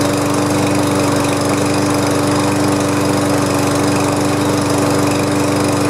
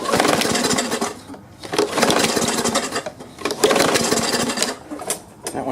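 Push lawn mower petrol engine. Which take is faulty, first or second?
second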